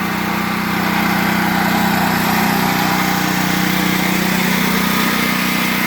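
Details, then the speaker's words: Predator 8750 generator running the house, heard from the panel with the generator running in the back: steady, even drone at constant speed with a smooth low hum, no knocks, surging or hunting. "So here we are at the panel. The generator, you can hear it running in the back."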